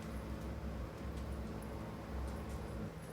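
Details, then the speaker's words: Bosch dishwasher that tends to drain instead of fill, at the start of a power scrub cycle: steady low hum with even pitch and no rattle or grinding as it drains for a few seconds; normal drain pump run. "It'll normally drain for a few seconds. If you listen, there it is. Okay. And that's going to stop in a second."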